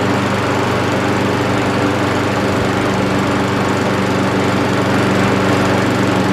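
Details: Old Mountfield push mower with entry-level Honda vertical-crankshaft engine, after clearing debris from carburettor float needle valve to stop leaking: steady single-cylinder chatter at constant speed, no misses or surging; normal running.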